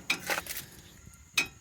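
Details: 2019 Honda Odyssey at about 33,000 miles, front right: sharp metallic clacks as the brake caliper is rocked by hand, gaps visible at both caliper mounting bolts, which were very loose; cause of the front clunking, and tightening them solved it.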